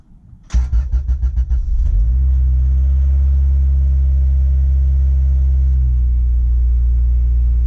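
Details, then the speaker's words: Honda Civic that sat nearly 3 years (engine 1 year) with prior idle issues, started after battery reconnection: brief crank then steady even idle, no hunting or stumbling, idle issue appears solved. "The idle seems to be pretty good right now. sounds pretty good so far."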